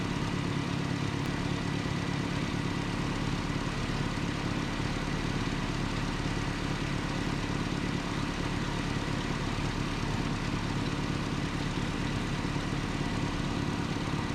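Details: 1988 Nissan D21 truck, 2.4L Z24 petrol engine, after the vacuum line repair for a rough surging idle. The idle is steady and even with no surging or hunting, a constant low rumble. This is a normal idle.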